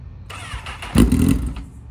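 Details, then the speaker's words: Crashed Craigslist Honda CBR liter sportbike, broken key switch, started by jumping two wires; starter whirs, engine catches for half a second with a rough burst then dies, won't stay running. "It almost run, brother. Dude, put her on the chip. It won't stay running."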